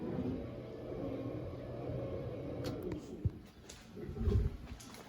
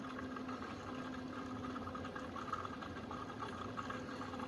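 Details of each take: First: Rear-mount engine cooling system on its first fill, about 8 liters in, with the water pump briefly switched on: a steady low pump hum, then low gulping burps as trapped air works out toward the bleed screw on the thermostat housing; air trapped in cooling system. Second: Rear-mount cooling system on first fill and bleed, electric pump running about 30 seconds: steady low pump hum with soft, even rush of water flowing through everything, no gurgling or leaks; normal coolant flow.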